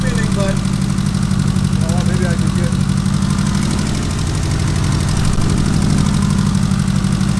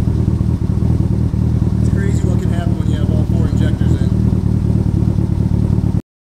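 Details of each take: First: Lumpy, uneven idle with a loping beat of about three per second under the exhaust drone on a 700 HP Evo; one cylinder misfiring. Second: Tuned 700 HP EVO running after a previously unplugged injector was reconnected: a steady, even low rumble with light clatter and no misfire stumble. Oil residue is burning off. It runs cleanly on all cylinders.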